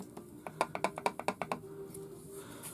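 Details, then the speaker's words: Remington Model 552 Speedmaster .22 rifle shaken: quick burst of light wooden clicks, about ten a second, from play between the magazine tube and forend despite a tight screw; fixed by a thin plastic shim. "on a lot of these Model 5 52s even though that bolt is tight this 4 end right here is feels loose feels loose on here it rattles around"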